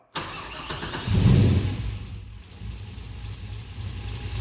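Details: Nissan 240SX S14 drift car with an LS1 V8 swap and T56 six-speed, abandoned in a trailer, first start: quick crank, catches at once, one strong rev dropping back to a steady lumpy idle; a normal start and rev.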